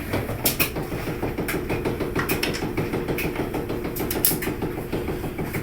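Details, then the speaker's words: LG front-load dryer DLE1101W after drum wheel replacement, loaded with clothes on normal cycle: tumbling drum with uneven knocks about three a second over low hum; quieter than before, owner suspects the motor. "so still got the docket noise not near as bad as it was I'm not sure what um it's got to be something in that motor"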